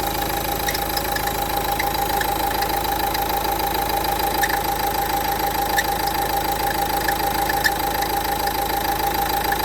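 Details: Renault Duster 1.5 dCi diesel at idle, before alternator pulley replacement: steady high whirring tone with a light, fast ticking rattle on top; worn alternator pulley needing replacement.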